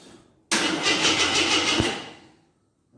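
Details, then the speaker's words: 1983 Jeep Scrambler barn find, sat 4–5 years, good spark confirmed, battery charged: starter cranks at an even chug, about three beats a second, for two seconds but never fires; no gas reaching it, tank apparently empty. "good we got crank looks like we are not getting no gas oh maybe I should put some gas in there see what happens"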